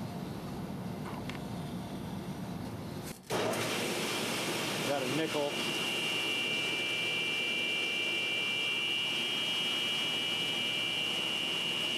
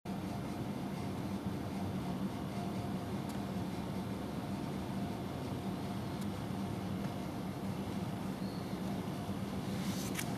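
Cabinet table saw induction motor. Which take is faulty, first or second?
second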